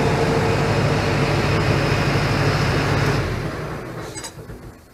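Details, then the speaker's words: ARIACOM SAX 112 diesel screw air compressor (Cummins 93 kW engine, Atlas Copco screw block), idling at 1400 rpm (2000 rpm at maximum load): slow even diesel drone with a steady low throb, no knocks or rattles, settling at the end; normal idle. "скорость вращения двигателя всего лишь 2.000 оборотов на холостом ходу 1400 оборотов То есть это достаточно тихоход"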